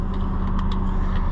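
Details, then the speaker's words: Ford Super Duty first running after a broken wire was spliced and the fuel pump control module reconnected: a low, steady, even idle rumble with no knocks or misses. "but there she is boys running truck how about that one wire broken is all she takes"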